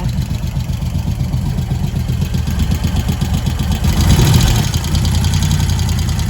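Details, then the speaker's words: Moto Guzzi 1100 California Stone push-rod twin after tappet clearance adjustment: even low thumping idle with light regular ticking from valve gear; normal tappet noise. "They're not offensive. That's fine. It is a push-rod engine after all."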